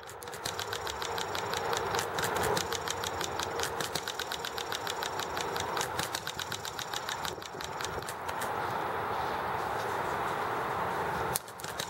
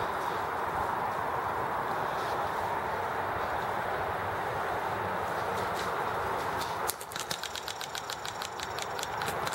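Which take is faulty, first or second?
second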